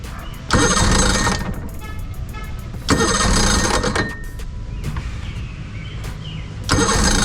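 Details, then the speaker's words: 2006 Evinrude 90 E-TEC outboard that starts then dies, run from a separate oil-mixed tank, old fuel; repeated cranking bursts with brief sputters that never hold. Compression good; fuel starvation from faulty, backwards-wired aftermarket fuel pump. "It's trying. Got all fuel. >> It's really old old fuel. Yeah, man. I don't know. It's got that old fuel in it."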